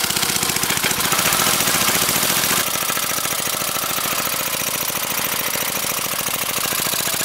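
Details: Briggs & Stratton 5 HP engine converted to run on propane from a barbecue tank via propane carburetor, valve opened just enough for gas to flow: rapid single-cylinder popping about 3.5 beats a second, slightly uneven, holding steady speed; runs fine.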